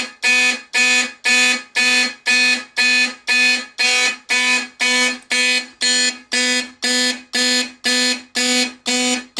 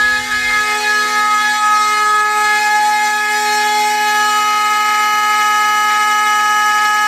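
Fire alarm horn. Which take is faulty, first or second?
second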